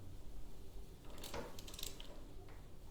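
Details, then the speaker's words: Royal Enfield Himalayan, about 6,000 km, with new valves just fitted after an exhaust valve problem; the engine is turned by hand in the correct direction, very quiet with a few faint clicks and no resistance, grinding or knocking. Normal rotation. "there's no noise because that's the way it should go"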